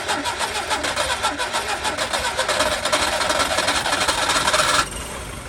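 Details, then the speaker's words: Skoda Favorit Forum, not started since 2001, with a borrowed distributor cap, rotor arm, HT leads and plugs: rough, uneven churning under full throttle, then it drops to a weaker run. It needs full throttle to start and half throttle (2–3,000 rpm) to keep running. Hard starting. "so it starts you need full throttle to start it and then it'll stay on if you're on about half throttle you you know keep it about two or three thousand revs it stays on fine"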